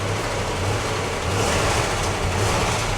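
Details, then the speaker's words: Newly delivered carbureted car with nearly empty fuel: a steady, even idle drops lower off high idle as it warms, with no knocks or misses. The engine sounds really good and warms up normally. "The engine sounds really good. There you go, now it just died down."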